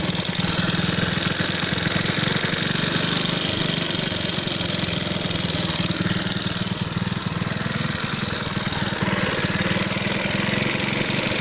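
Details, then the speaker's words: Alpha moped single-cylinder at idle, knocking after being run low on oil: hard, rapid metallic tapping about four per second, mic moved around the engine. Owner suspects piston hitting valve; clutch basket or magneto possible; timing chain intact. "Гремит движок, 80% клапана. Поршень бьет об клапан."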